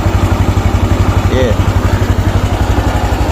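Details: Honda Wave 110i injection motorcycle after repair of its ECU (pump ran but no spark): steady single-cylinder idle with an even, regular beat, no misfires or knocks; normal idle.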